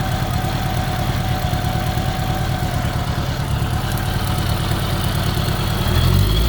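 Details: 1983 Honda GL1100A idling evenly with a light, fast ticking over the low rumble, heard on the left side of the engine; new ticking of unknown cause.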